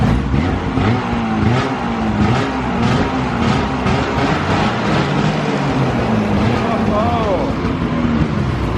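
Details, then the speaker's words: 2000 Ski-Doo Grand Touring 600 two-stroke snowmobile, sat outside three-plus years, warmed up with track suspended: revs up and settles smoothly with even drone and steady track whir, no misses or knocks; runs healthy, track spins great. "Track spins great."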